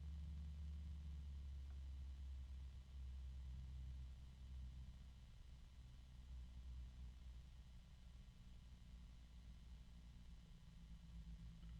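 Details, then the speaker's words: Very shiny three-pin PC case fan running quietly: a steady low harmonic resonance hum sits underneath, lower than the usual resonances. It is fan resonance rather than bearing noise. "there is a harmonic resonance right there it's pretty low it's a lot lower than the harmonic resonances I usually"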